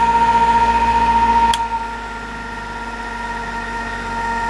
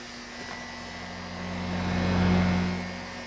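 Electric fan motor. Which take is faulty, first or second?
first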